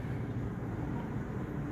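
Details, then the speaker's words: Japanese automatic Suzuki Swift that misfired at slow running, after replacing the faulty number 4 cylinder ignition coil (plug was blackening); intake had been wet and oily, exhaust choked: low, even idle rumble, no misfiring, stable in R and D. "ये हमने एक change की है, ठीक है जी। इस time गाड़ी में कोई मिस फायरिंग नहीं है।"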